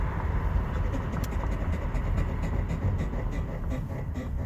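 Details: Front-wheel-drive car: deep rumble throbbing rhythmically while braking, steering wheel shakes when braking, slight pull left; pulsing brake noise, owner suspects bad alignment or warped rotor or pad problem.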